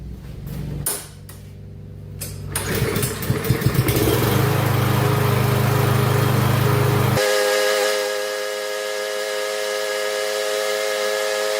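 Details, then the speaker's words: Yard Machines 21" MTD mower, 140cc Power engine with automatic choke, about 5 years old, brought in for tune-up: starts on one pull, climbs and settles into steady even idle, no misfires or knocks; healthy start. "So anyway, isn't that lovely? It started right up. And one pull."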